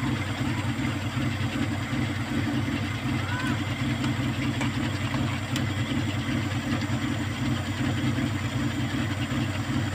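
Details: Kia Pride at idle before repair: uneven idle with occasional stumble and loping beat; misfire from a number 4 high-tension wire that the current burnt through, due for replacement.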